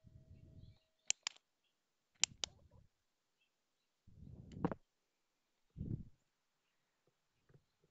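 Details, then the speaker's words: Honeywell Turbo On the Go battery fan left on all night until its batteries ran down: faint motor whirs in short uneven bursts with sharp chirps and clicks (some from button presses), the little motor stalling on weak batteries. "the batteries ran down and uh I want you to listen to this noise it makes"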